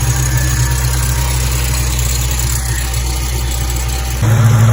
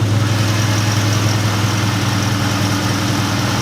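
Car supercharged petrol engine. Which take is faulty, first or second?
second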